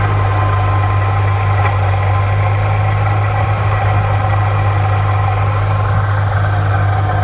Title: Saleen supercharger rattling noise